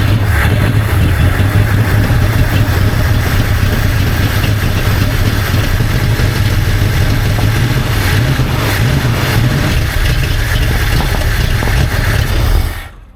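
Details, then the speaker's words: 1970 Ford Mustang Fastback V8 (said 351, possibly 302) first start after 20 years sitting: deep lumpy idle stumbling unevenly with irregular pops, like firing on half the cylinders; suspected flooding itself. "that's running like balls sound like it was firing on half cylinders well it's flooding itself for some reason"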